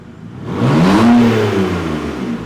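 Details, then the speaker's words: BMW E90 revved to about 3,000 then 4,500 rpm with the exhaust removed; sharp loud raw unmuffled blips with a rasp, engine itself sounds fine; loud open exhaust. "It does not sound refined at all. I don't like it. I don't think it adds anything good to it. It's just loud."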